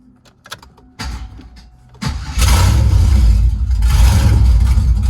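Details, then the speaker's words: 2000 Camaro SS, knocking LS2 6.0 replaced with junkyard 5.3 LS1 block and heads, first start with no exhaust; a few starter bursts, catches and settles into loud deep even rumble, started right up, sounds good. "so you started right up man I'm surprised and I think it sounded freaked and good for a junkyard motor man"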